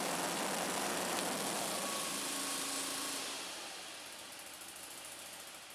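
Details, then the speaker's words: Scag Turf Tiger 61 mower, Kohler CH25S engine, after replacing the bad ignition coil and setting the air gap: blades engaged, engine holds a steady, even beat with deck whirring, no stumble or stall; fixed. "all right well there you go guys if you got a blade that wants to kill the engine when you engage it that's the fix at least that was the fix for me"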